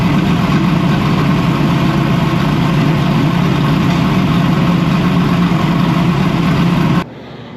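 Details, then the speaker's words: Freshly built race V8, first start-up, brought up to temperature: deep, even burble holding steady idle with no knocks or ticks, then shut off cleanly; normal running. "we fired up the engine. Everything looks good. Got up the temperature. It sounds great, right?"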